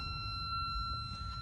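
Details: Kenwood TS-430S ham radio on a 10 A, 13.8 V supply via a cheap connector, ungrounded: steady piercing high siren-like tone after power-up; cause unknown, owner wonders about grounding.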